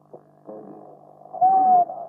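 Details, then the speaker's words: 1930s Volksempfänger VE301 Bakelite radio with about 10 m wire antenna and earth: faint hum, then a steady whistle rising and falling slightly while tuning, marking an AM station, apparently Italian; heterodyne whistle. "We hear that usual whistling that indicates there is a radio station. This sounds like Italian."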